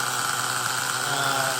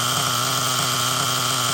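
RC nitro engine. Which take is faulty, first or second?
second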